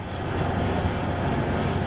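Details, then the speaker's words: 1993 Ford Ranger after a rough-idle fix (air leak suspected, several codes set): the lower part was replaced and leaking injector O-rings renewed. It now settles into a steady, even low rumble with no misses, knocks or hunting, a healthy idle. "put it back together and we'll start her up for you now it runs good probably the best running vehicle I"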